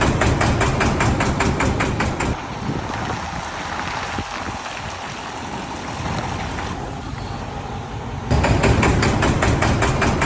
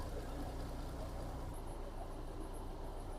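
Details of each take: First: MAN D28 common-rail diesel idling with a sharp regular knock and white smoke; injector balance readings point to the second injector, suspected debris in its control valve orifice or a seized nozzle. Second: MAN D28 common-rail truck diesel after clearing debris from an injector control orifice that caused knocking and white smoke: steady deep, even idle rumble, no smoke or knock.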